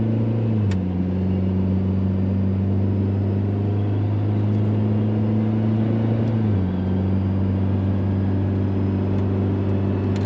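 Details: VW Mk4 2.0 wagon cruising after a Techtonics Tuning exhaust kit fixed a loud exhaust leak. Steady low drone with pitch stepping at gear changes and no puffing or ticking. Sealed and no longer deafening; normal exhaust note.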